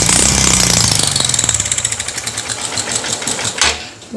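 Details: Honda CB Shine engine with a fast metallic ticking clatter from the top end, easing as revs fall; oil not reaching the rockers, top-end rattle from oil starvation that risks rocker damage.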